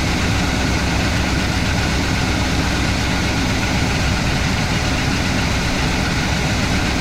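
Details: IHC/Blazer wrecker, previously no-start, after battery recharge and timing adjustment: steady, even deep-rumbling idle with no misses or knocks; engine starts and runs cleanly.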